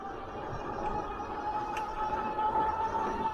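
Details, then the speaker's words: Lectric Xpedition 750 W cargo e-bike while riding: steady high whine rising slightly with speed from the rear hub motor, with a small clicking from the front brake rotor. "it's a little bit noisy probably hear that motor back there it's definitely whining"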